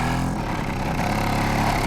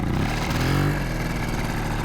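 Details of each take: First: Di Blasi folding moped two-stroke after carburettor cleaning and wiring repair, cold weather: ticks over slowly and unevenly, near stalling; idle speed set too low, then raised. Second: Di Blasi folding two-stroke moped, just revived after fixing no spark and cleaning a dry carb, ridden in cold weather: after a brief blip it settles into a steady, even idle with no misses after the low idle was raised.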